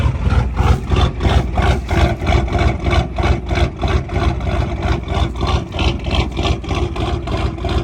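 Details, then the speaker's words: Old IDI diesel with upgrades, cold start after nearly a year sitting, overfueled, glow plugs at full heat: even, steady deep clatter with no misses; healthy idle. "This thing is a beast, man. She hasn't fired up in probably close to a year now. But she always pulls through for us."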